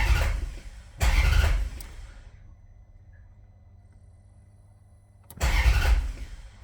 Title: Hard starting 4200